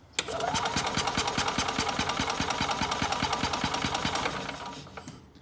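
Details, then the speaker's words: Older Yamaha golf cart, sat for years, fuel inlet line disconnected at the carburetor: starter turns it at a steady beat for about four seconds but it never fires; no fuel delivered, spark present. "It should pump fuel out of that when I crank it, but I don't expect anything's coming out because it was dry."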